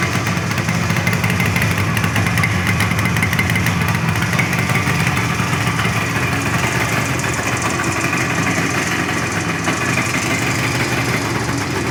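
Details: 1974 Yamaha RD 350 two-stroke after a coil lead connection was remade and a double fault fixed: steady, even idle with a constant crackly buzz and no misses or stumbles; engine running cleanly.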